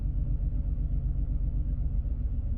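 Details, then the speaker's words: Misfire test at idle: coil swapped after a cylinder 3 misfire code; deep, lumpy idle with uneven pulse, engine shaking hard; if the misfire moves to cylinder 2 the coil is faulty, if it stays on 3 the spark plug is next. "we've got a misfire again, which is sort of what we want. But if that misfire has now gone cylinder 2, then we know it's definitely that coil."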